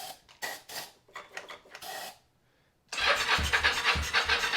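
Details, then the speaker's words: 1983 Yamaha XZ550RK Vision, first start in about 20 years with starting spray, spark present, fuel tank removed for cleaning: uneven, sputtering cranking, then a brief loud catch that stumbles; fires but won't keep running. "that's awesome oh it wants to do it [Laughter] again that's awesome we did it more than once so now it's not a fluke it'll do it"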